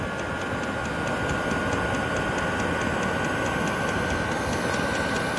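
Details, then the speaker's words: Chinese diesel heater on level four or five with fan and fuel pump speed increased and output at 142 degrees: steady fan rush and the pump ticking about four times a second; running normally on high. "so the fan has increased the pump has increased once you go up to level four temperatures down to 142."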